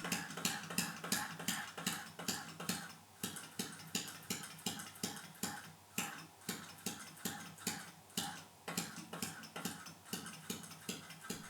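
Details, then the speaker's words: Homemade air engine run from a water-pressurised tank, 3.5 minutes into the run as pressure falls: light uneven ticking near 170 a minute that swells and fades, nearly stopping several times before reversing direction. "then at 3 minutes and 30 seconds into the run the engine nearly came to a complete stop multiple times before switching direction"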